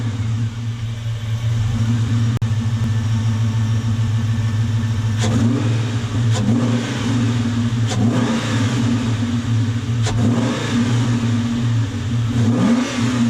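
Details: 1998 Ford Mustang Cobra just after installing a JLT Performance cold air intake (replacing cracked factory intake; tube nearly touching mass air flow sensor): steady idle with several clean throttle blips rising and falling smoothly, no hesitation or intake hiss; runs healthy.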